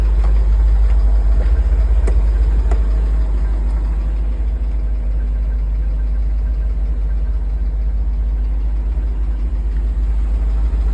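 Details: Idling engine with a steady low rumble and a faint, fairly regular knock about three times a second; rod knock suspected, not confirmed.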